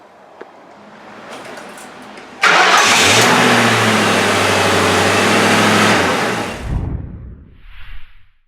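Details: Ford Crown Victoria right after a starter replacement: a brief crank that catches quickly, the engine flaring up then settling smoothly; the starter engages cleanly with no grinding or clicking. Normal cranking and start.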